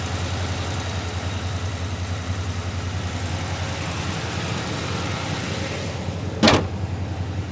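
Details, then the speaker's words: 1967 Pontiac GTO, freshly built 1967-date-code 428 V8, 376 HP, 4-speed manual, new MagnaFlow exhaust, fired up: deep steady rumbling idle, even unbroken beat, no knocks or ticks. Normal idle. "Here's the 428, 376 horsepower, the 67 date code correct motor. We're going to fire it up right now."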